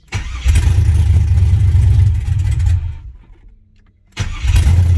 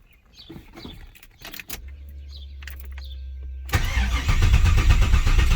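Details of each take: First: 6.0 LS swapped Firebird first start after priming the empty fuel system: V8 catches with deep rumble, sags and cuts out a second, refires and settles into lumpy idle; normal first start. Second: 6.0 LS swapped Firebird first start, fuel system empty and primed about three times: starter churns steadily about two seconds before the V8 catches and roars; long crank while fuel reaches the engine.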